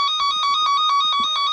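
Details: Cen Tech cable tracer with power off: steady warbling electronic tone pulsing about seven times a second as the probe follows an intact connected wire, loud near the transmitter.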